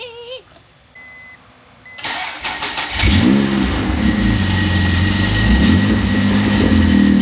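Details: 1993 Acura NSX, 3.5L stroker twin-turbo, cold start after sitting and oil leak repair: starter whirs briefly, engine catches cleanly and settles into steady even idle with no misses; oil pressure up, no tailpipe smoke, healthy cold start.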